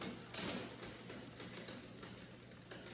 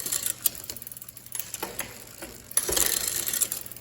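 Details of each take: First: 2001 Specialized Rockhopper bicycle during final gear adjustment: light, even ticking and brushing with the cranks as the cross-chained chain rubs the front derailleur cage. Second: Neglected 2001 Specialized RockHopper after final front derailleur and limit-screw adjustment: light, quick clicks and a soft ratcheting tick as the chain changes rings, with no grinding or rub; front shifting is normal.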